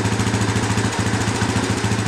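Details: Yamaha Raptor 350 after carburetor rebuild, test run: steady even single-cylinder thump at quick idle, no misses or knocks; runs cleanly, better than before, normal idle.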